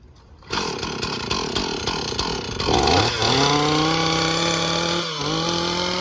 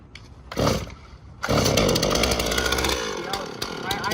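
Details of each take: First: Chainsaw after starting with the half choke and decompression procedure: fires, revs up sharply and holds a steady high buzz, clean and even with no misses, while bar oil lubricates the chain; normal running. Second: Chainsaw started with the between-the-legs method, half choke then throttle with decompression pushed: a short pull burst, then a raspy two-stroke idle that sags and dies after a few seconds; the engine stalls at idle.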